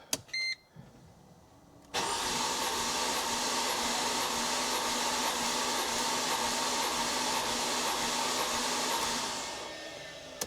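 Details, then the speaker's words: 2005 Mercedes SLK350, compression test cranking: even unfired cranking about three turns a second, no hesitation between strokes; compression low across all six cylinders. "here's how all of the cylinders did okay but it just seems so low"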